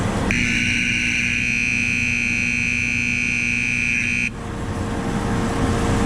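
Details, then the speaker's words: Corn grain dryer system alarm during harvest: loud steady high-pitched buzzer over machinery hum for about four seconds, then stops and counts down; sometimes goes off by itself, equipment seems to run right, cause unknown. "I know that's loud, you guys. I'm gonna have to call Danny and see what's going on."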